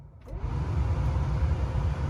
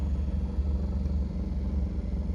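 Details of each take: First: Cadillac Eldorado HVAC blower after replacing worn blower motor that wobbled and scraped, fan on high with engine idling: steady, even rush of air, no rattle, squeal or wobble; repaired and quiet. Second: 1977 Cadillac Eldorado HVAC blower motor: low, uneven droning hum with a slow wobbling throb over the fan noise, wobbly but not grinding, and not the higher-pitched sound of an AC compressor; worn blower motor, which was replaced.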